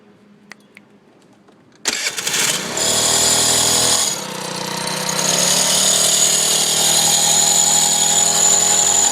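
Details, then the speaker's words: Zen Quiet 50 moped engine revs with a thin, high squeak that occurs only as it starts to accelerate and stops once acceleration is done; cause unknown. "i have this squeak noise it's happening in this area it only occurs when i'm about to accelerate but after it's done accelerating it it stops for some reason and i have no idea and"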